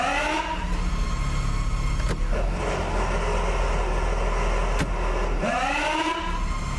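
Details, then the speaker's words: 2013 Jeep Wrangler 3.6, four-wheel drive, NAG1 (722.6) automatic; high-pitched whine at start, then a loose rolling rattle under engine hum when shifted into drive or reverse; cause found as stripped pump stator splines where it fits the torque converter. "I'm sure you can hear that little high-pitched whining noise. Now I'm going to go into drive. All right, I'm going to shift it back to neutral. Drive. Neutral. Boy, it sounds like something's rolling around in there."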